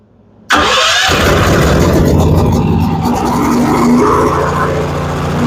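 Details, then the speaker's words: Firman generator with electric start, run on choke after its crud-filled carburetor was cleaned: it catches right away and settles into a steady, even run with no missing or surging, so it now runs healthy. "Now that the crud is gone, carburetor's cleaned up, I'm hoping it'll go."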